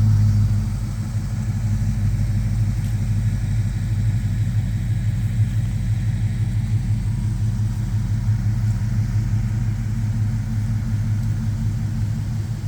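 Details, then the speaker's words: Vortec 5.3 V8 with automatic transmission swapped into a restored 1988 Toyota FJ62 Land Cruiser, started up: deep, even low rumble at steady idle with no knocks, misses or ticks; healthy engine. "I think we're going to go ahead and fire up that 5.3 for you, so you can hear the sound of that. Got a nice tough sound to it. Nice low rumble."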